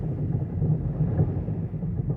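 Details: 2009 Mazda5 in drive after a transmission fluid change: a deep, rough grinding from the front, pulsing about twice a second, worse since the fluid change and better in reverse; the owner suspects the transmission.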